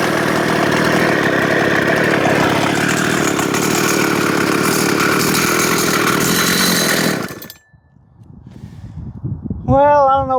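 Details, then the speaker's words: Husqvarna 266XP chainsaw, mostly OEM/NOS rebuild, original bottom-end bearings, run at high revs: scream with a coarse, rattly edge, then shuts off; rough running, owner suspects worn bottom-end bearings, may smooth out. "it sounds like it might need bearings on the bottom end. I never put those in there. Didn't seem like it needed bearings."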